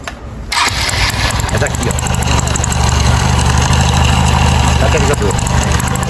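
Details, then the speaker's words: Freshly rebuilt 2008 carbureted 150 Titan single-cylinder after checking oil is rising: starts and settles into a steady, even beat with only a faint light tick; the engine sounds new and tight. "Meu filho, seu motor tá zero demais. Tá dura mais o quê? Uns 10 anos, meu filho."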